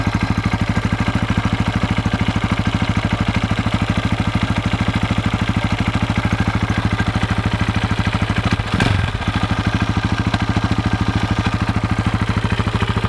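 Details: 2004 KTM 640 LC4 single, 38,000 km, started after 10 days unused: sharp regular clack on every idle beat, two or three per second, from the engine's left side; stops in gear with clutch held; cause unknown, owner wonders about crankshaft or clutch bell.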